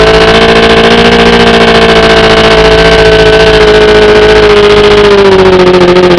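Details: OMC 125 hp two-stroke outboard on a dyno: a steady drone whose pitch sags as the float bowls empty and the VRO pump cannot refill them, until it runs out of fuel. Fuel starvation from a bad VRO fuel pump.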